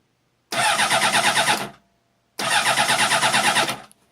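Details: 2003 Honda CBR 600RR, laid down on its left side in an accident and now won't start: two bursts of fast, even starter whirring about a second each, and it never catches; cranks but won't fire, cause unknown.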